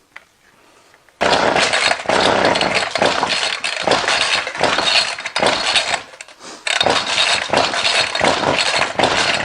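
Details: Line trimmer (whipper snipper), hard to start: idles roughly, bursting and sagging unevenly, cutting out near stalling and hard to restart; owner suspects a split paper gasket sucking in air, since spraying it makes the engine die down.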